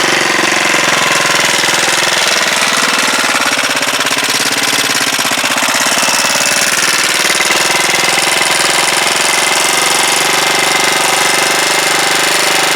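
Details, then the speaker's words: Huoniao HN125 single-cylinder, freshly installed engine, first start: fast, sharp, even ticking rattles loudly over the idle. Valve tappet rattle; the owner thought the tappets were done, but the valve clearances need adjusting. "I think then I thought I'd done them tappets but thank you well obviously tappets need doing"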